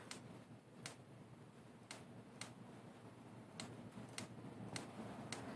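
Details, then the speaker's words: 2004 Kawasaki Ninja 250 no-spark diagnosis, ignition box already replaced: coil unplugged from the box and trip wire fed through a spark tester; sharp, crisp irregular snaps show coil power reaching the box connector and producing spark. "so as you can see power's coming through the coil all the way to the connector for the box and we're getting spark"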